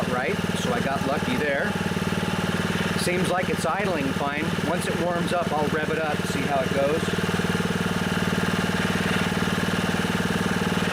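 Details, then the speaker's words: Honda HR215 HM lawnmower after unplugging the carburetor slow (idle) jet and resetting idle; it had surged at low and high speed and ran only on choke. Now a steady, even putter at idle with no surging: the fix worked. "so it looks like that fixed it I knew there was a problem with the slow speed system because when I tried to run it at low rpms it was surging"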